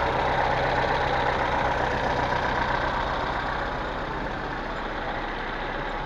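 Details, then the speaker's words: Lada Niva 2131 4x4 after new front differential and driveshafts installed, car on a lift, transfer case engaged: steady even whir from the spinning right front wheel, no whine, grind or clunk; front diff healthy. "А так все работает шума с редуктора никакого нету"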